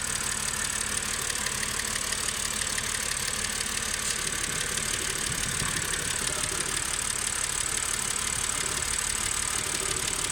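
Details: BMW E91 330i N52B30 six-cylinder petrol idling roughly, vibrating and shaking, stumbling pulse about three times a second; diagnostics show cylinder 6 misfire at low tank fill level; new Bosch spark plugs didn't help.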